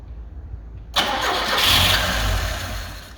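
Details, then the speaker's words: Carbureted Lada 2104 with fuel gravity-fed from a funnel clamped to the carburetor line and the choke pulled: the starter whirs and a few ragged firings swell, then fade without running. Owner suspects fuel starvation from a bad fuel pump, though it is unconfirmed. "maybe there's not enough fuel so she wants to start I really think it's a bad fuel pump but we don't know for sure"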